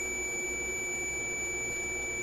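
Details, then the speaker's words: Electrohome AM clock radio tuning capacitor checked with a meter: a steady continuous beep while turning the capacitor; continuity shows the plates are shorting. "okay so you drop to zero there back up there it is - again we need to see that I camera yes you can so I think that tells you undoubtedly that the plates are shorting"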